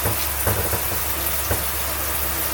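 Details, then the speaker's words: 2010 Bailey Pegasus 462 caravan shower with pump on, after wall repair: steady full hiss of water spray with no surging or pulsing; good, even high pressure. "Power shower. I won't go that far, but it's definitely made for high pressure. Yeah, it's good."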